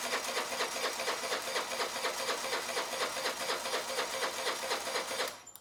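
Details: Honda Elite 80cc scooter just after a carburetor rebuild, on a freshly charged battery: the starter turns the engine over with a quick, even chugging, about five beats a second, but it never fires; cranks, no start.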